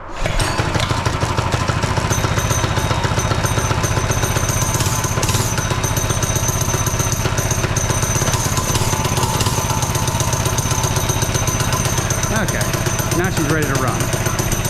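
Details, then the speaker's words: Barbie scooter converted to a minibike with a new GoPowerSports single-cylinder motor, cold on full choke: steady, even thumping idle with no misses or knocks. Normal idle. "let's turn her on full choke she's a little cold sounds like she's a little cold"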